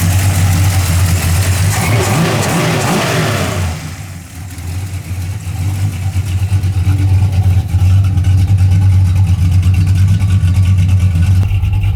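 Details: 1981 Camaro after a top-end swap to a roller cam, aluminum heads and a new intake, retuned and warm with 35–40 psi oil pressure: a short rev drops back to an even, slightly lumpy idle that stays steady with no knocks or misses. It is healthy.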